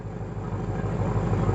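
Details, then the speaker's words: 1966 Ford Galaxie 500 V8 just started after adding oil, oil pressure uncertain: steady, even low rumble at idle with no knocks, ticks or misses; normal idle, sounds happier. "sounds good now. Sounds a lot happier."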